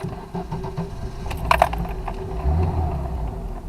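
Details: Lada Niva 4x4 starting after the crankshaft position sensor was cleaned of dirt. Engine catches and settles into a steady low rumble with a brief jangle of keys. Starts cleanly with no stumble, and the check engine light went out.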